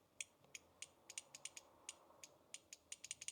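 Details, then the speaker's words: Old VIAS solenoid from a Nissan Xterra, bench-tested with power applied: light, thin, irregular clicks with no solid snap. The owner suspects it is sticking and not moving fully. "a little bit, but it actually does feel like it could be stuck. It doesn't seem to be moving fully."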